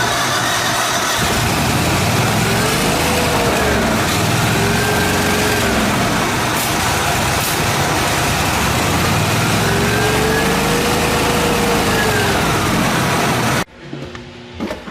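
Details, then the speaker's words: Miller Trailblazer welder engine on battery charger, choke freed from frozen with heat gun: runs with wavering, hunting pitch about thirteen seconds then dies; crankcase-vacuum fuel pump had clamp off, suction side possibly drawing air, starving it lean. "I just found out this fuel pump thing here it was leaking here this clamp was taken off so the suction side of the fuel could have been getting air in it"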